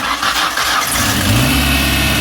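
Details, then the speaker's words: 1994 Ford Ranger 2.3, first cold start after vacuum-leak fix: brief crank then steady, even idle with faint exhaust puff; runs well, small exhaust leak now better; normal. "There we go. Nice. Runs pretty good. Exhaust leak is a little better."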